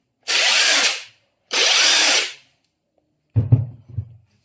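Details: Aftermarket Makita-style IFASEN 21700 15000mAh battery on a full charge, running an impact wrench at mode 3, speed 3: two short bursts of high, even whirring as it spins freely, no rattle or stutter; runs clean and healthy, and the battery later reads 20.1V.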